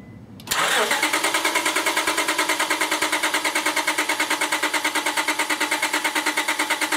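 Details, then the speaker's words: 2001 Honda Accord V6 with a dead battery, cranked on a NOCO GB70 jump pack with the PGM-FI main relay unplugged. Even cranking at about three turns per second for several seconds, never catching. The owner is concerned about overheating the starter, and a bad ignition switch is suspected for the intermittent no-start. "right now I have the uh pgmfi main relay unplugged just to keep it from running and uh I'm going to crank it"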